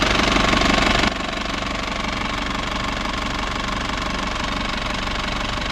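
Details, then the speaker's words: Isuzu TFR van, just started after a roughly 100 km test drive with temperature normal, no leaks, new battery, heard from outside: even, steady idle with a regular pulse about four a second, no knocks or misses; smooth normal idle. "อ้าเสียต้องยนต์เรียบเนียนดีนะครับ"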